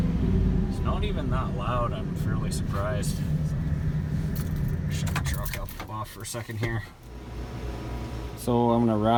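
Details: 2000 Chevrolet Silverado 1500, 5.3L LS, at idle just after installing Hooker 8510 cast turbo manifolds, crossover and fender-exit hot side; wastegate fitted, boost line and charge piping unfinished. Steady, low, even rumble with no manifold ticking or puffing. Fairly quiet, normal idle.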